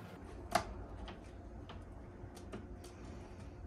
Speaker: no squeaking how perfect is that